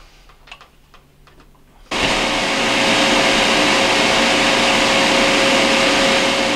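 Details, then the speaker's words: Whirlpool ABB2224WEB2 refrigerator after W10507884 compressor replacement: vacuum pump on gauges at the compressor access point pulls the system into vacuum (about 29) to verify no leaks; steady loud even whirring drone, normal vacuum pump operation. "we're going to then pull the unit into a vacuum which will then uh verify that we don't have any leaks from the work that we just did"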